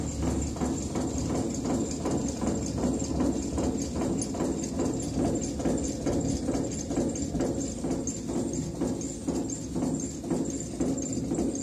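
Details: ET21 locomotive cooling fan no. 2 running with a steady hum and a regular knock about twice a second from a damaged fan bearing.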